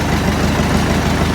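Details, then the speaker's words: Massey Ferguson 165 tractor diesel after engine rebuild: steady, even low chug with regular firing beat and no knocks or misses; starts nicely and runs clean. "so yeah everything runs sweet on it it starts up nicely"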